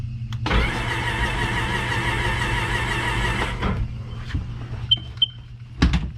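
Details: Even, fast whirring crank for about three seconds with no catches or hesitation; the engine turns over freely and isn't seized. This 2006 supercharged Sea-Doo Sportster had sat about two years and was cranked in drown mode after being lubricated and left to soak about an hour, before the spark plugs went in.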